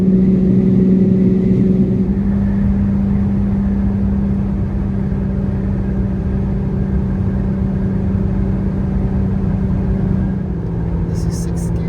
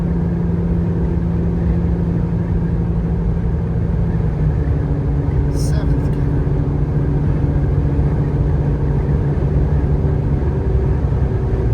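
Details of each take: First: Jeep Gladiator 3.6L V6 with no muffler, climbing a long highway grade in 5th gear at 65 mph, before a MagnaFlow muffler was fitted. Loud, steady low droning hum under constant load: exhaust drone without muffler. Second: Jeep Gladiator 3.6L V6 climbing a long highway grade in 5th gear at 65 mph. Steady, deep, even tone with no rattles or blows: normal exhaust note.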